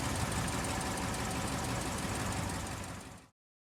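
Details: 2011 Dodge Ram 5.7L Hemi V8 at idle after replacing both exhaust manifold gaskets and a broken driver-side manifold bolt: light even tick about four a second, almost gone; owner unsure whether exhaust leak remains.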